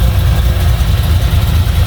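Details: Chevy 350 small block in a Toyota Landcruiser HJ75 Troopcarrier, after roller rocker work to cure a valvetrain tick, warming up toward fan temperature: a deep, even V8 burble at idle with no top-end ticking. Normal idle.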